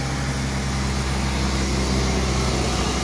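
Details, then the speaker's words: Jeep after replacing a burnt-out fusible link that had killed all power, engine ground also cleaned; fuel pump heard priming, then it starts into a steady, even low four-cylinder thrum, no misses or knocks: normal idle after repair. "Alright, good sign. Heard the pump go. Alright, there she goes."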